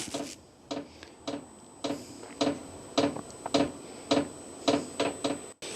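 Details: A new VEVOR diesel heater on first start in a cold workshop gives soft, even, loud fuel-pump ticking at about a hundred a minute while the fan blows through; the pump is dosing but the heater hasn't ignited, and the workshop stays at 13 degrees.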